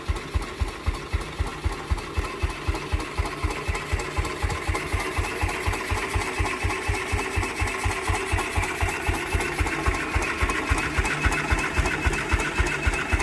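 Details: 1949 Ransomes MG5 crawler tractor, first start after the previous owner's rebuilt magneto was found 180 degrees out of phase, corrected and given fresh fuel: even exhaust beat at about four pulses a second, no misses or knocks, running cleanly.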